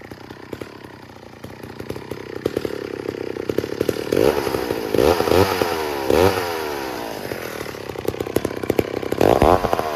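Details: 1966 McCulloch 250 chainsaw, low-hour one-owner saw stored 25–30 years, starting and revving: crisp rapid two-stroke crackle with clean throttle blips, firing evenly with no misses, running healthy.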